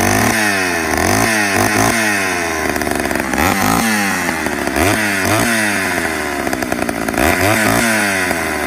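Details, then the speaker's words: 1985 Homelite Super XL two-stroke chainsaw, after a cold start following a year unused: crisp throttle blips, pitch climbing and falling cleanly, back to steady idle each time; normal running. "Got a good roar to it. Deep sound for a chainsaw. Too bad so far."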